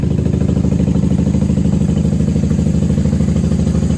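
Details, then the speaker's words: 1994 Honda Magna 750 VF750C V4 on choke after fuel line repair, airbox removed, factory pipes with baffles out: deep, loud, even burble about three pulses a second, no misfires; normal idle on choke. "This sounds good. Factory pipes with no baffles. I don't think there's baffles. Nope, baffles are out."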